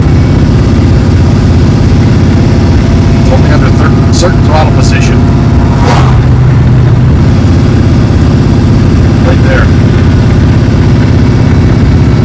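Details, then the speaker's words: 1973 Dodge Dart Swinger at steady idle in hot weather, with a light uneven tinny rattle from the bell housing area. The owner now thinks it is the tin dust shield, not the front pump it first sounded like. The noise is worst in second gear at about 40 mph. "the more i'm hearing it the more i'm thinking it's probably that stupid tin shield before it sounded more like a pump blind but i don't think it's a pump"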